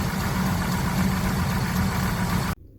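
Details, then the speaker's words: 1966 Chevelle SS clone with a 327 small-block V8 and 4-speed, restored about 10 years earlier: a deep, steady idle with an even lope and no knocks or ticks; sounds healthy. "all right we're back out here we got it fired up sounds healthy it's a top notch car guys"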